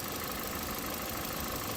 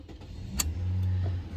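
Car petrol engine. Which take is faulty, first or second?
second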